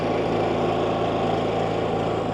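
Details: New Champion 11000 W tri-fuel inverter generator on first start-up, no load: steady, even buzzing hum with no surging or hunting, running normally.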